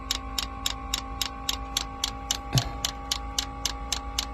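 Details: Diesel heater installed in a Skoolie bus, first start with fuel entering the pump: crisp evenly spaced ticks about three to four per second over a quiet background; dosing pump priming normally, pulling air from the system.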